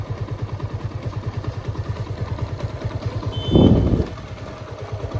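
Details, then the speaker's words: TVS Apache RTR 160 BS4 after engine teardown and reassembly: steady single-cylinder idle thump with a short throttle blip, no throttle held, and the earlier rattling/knocking is completely gone. Normal idle. "पहले जो sound आ रही थी वो पूरी तरीके से खत्म हो चुकी है देखिए अभी ये बिल्कुल स्लो है अभी रेस भी नहीं दे रखा हमने"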